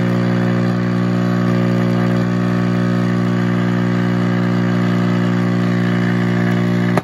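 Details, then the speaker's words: Vintage Admiral radio-record player, possibly previously worked on, at power-on: loud steady low buzzing hum with no audio until switched off, from a failing power supply filter capacitor that needs replacing; tuning and motor work. "So I don't want to smoke the caps, but that's what you're hearing. So we need a power supply filter cap."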